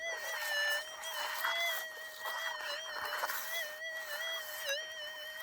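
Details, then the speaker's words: Minelab SDC2300 metal detector: a steady mid-pitched threshold hum wavers and breaks briefly as the coil passes over a small buried target. Target signal. "there's a target there also that humming noise that you're hearing that's what it sounds like and now you can hear that threshold break guys so that's a target tone on an sdc"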